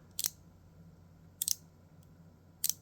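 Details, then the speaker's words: Vessel 2200MBH120 36-tooth ratchet stubby combo driver, quiet room: three slow, sharp high clicks about a second apart, each doubled as two clicks at once; unexplained ratchet double click, not considered a defect. "then there was a click then another click straight after it I'm not sure what that click is and then click two clicks at once"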